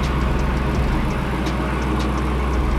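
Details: Dodge Hellcat with only 25,000 miles, which would not start after sitting about two weeks, now running: a deep, even V8 idle with a regular lumpy pulse, no misses or knocks, settling smoothly.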